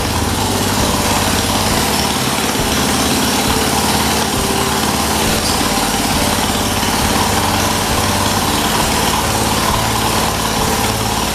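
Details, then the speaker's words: 1978 John Deere 208 lawn tractor, single-cylinder, first start after 3 years idle, old head gasket still fitted, no muffler, carburettor not cleaned: loud raw steady bark, no puffing from the head gasket; runs healthy. "as you guys saw i started it up must have had fuel on it it took right out it didn't take right off but i mean it it took off not long after didn't sound like the head gasket was blowing sounded really good"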